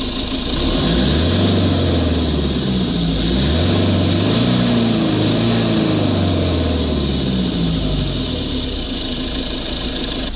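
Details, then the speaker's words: Iveco Daily 2.3 (242F97) with DPF high-pressure code P1206 and loss of power after turbo replacement, revved stationary: steady airy hiss growing with revs from underneath; suspected boost leak or incorrectly fitted turbo, not yet checked. "it's definitely got a hiss and noise down there"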